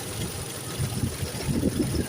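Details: Toyota 3VZ-E engine idling evenly with a low rumble, no whine or howl, after a howling/humming noise first suspected as the water pump was traced to the AC pulley; normal idle.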